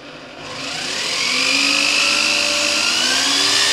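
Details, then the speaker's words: Parkside PMB 1100 A1 metal band saw (Lidl), switched from very slow speed 1 to the second speed setting: smooth motor whine rises and settles at steady pitch, no knocks or grinding; normal running. "La rotazione alla velocità numero 1 è davvero molto lenta. Proviamo col secondo scatto."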